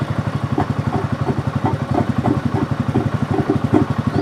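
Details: 2024 Kawasaki Mule idling with gurgle seemingly from under dashboard: thumping with wet bubbling pulse about four times a second; overfilled oil pushed into breather and air box, oil found in air box.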